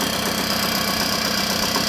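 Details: 1979 Puch moped two-stroke during air-leak test with spray around carburettor and intake: steady even buzzy idle, dips slightly lower but does not die, no hunting or stalling; no air leak, normal idle.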